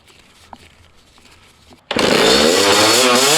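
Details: Dirt bike after turning the carburetor idle screw all the way out: the engine fires and holds a high, buzzy rev without dropping back; running rich, carb float suspected.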